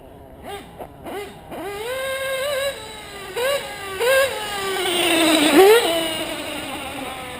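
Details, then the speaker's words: Modded LRP .32 nitro engine with 2120 Reds top-end pipe and 41032 header: sharp rev blips with pitch rising and sagging, stumbling off the bottom; sounds lean down low, hesitation at low rpm, little bottom end. "that sounds lean up top i mean down low sorry yeah this pipe yeah it's a top end pipe no bottom end though you can hear how it wants to hesitate"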